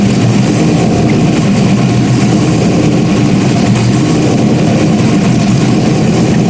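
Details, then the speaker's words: Rebuilt 5.3 V8 race engine at first start after nearly a year of rebuilding, with a small spray and drip noted. Deep, steady idle with an even lope and no knocks, ticks or misses: normal idle. "am she sounds good has a nice tone to it"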